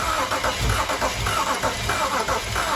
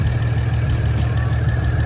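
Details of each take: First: BMW 335i bought as a non-runner, crank attempt on jumper pack: starter cranks steadily, just under two turns a second, but it never fires; sounds soft with uneven compression strokes, owner suspects low compression. Crank no start. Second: BMW 335i bought as a non-runner, now running after its first start: a steady, low, even idle rumble with no knocks or stumbles. Normal idle; owner judges it a good engine.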